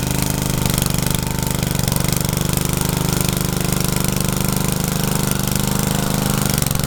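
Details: Rebuilt Troy-Bilt tiller tilling: busy single-cylinder chug with quick even firing, labouring slightly as tines bite, pulls steadily; owner saw heavy smoke under heavy load the day before and suspects blow-by past the rings.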